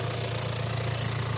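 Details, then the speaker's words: Range Rover Evoque (stolen-recovered, been sitting) idling with loud open intake roar and slightly choppy, uneven beat; air duct removed from the air filter, no warning lights; should quieten once refitted. "little bit Choy but you know what that is no you've removed that air duct from the Air Field right yeah yeah also it's been sitting around you know"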